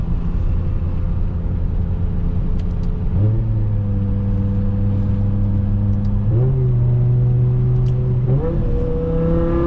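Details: BMW E60 M5 S85 V10 after ionic module and cylinder 2 and 3 coil replacement, full-throttle road acceleration with AC off: hard, clean pull through three upshifts, no stumble; previously fell off at top end, now smooth.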